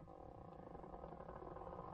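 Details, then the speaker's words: Audi A6 3.0 TDI V6 quattro, over 300,000 km, warm after test drive: power mirror adjustment, first side. Quiet, even whirring hum with no grinding or catching; mirror motor sounds healthy and still works. "klingt auf jeden fall sehr gesund ja er tut noch aber klingt so als hätte irgendwie antritt"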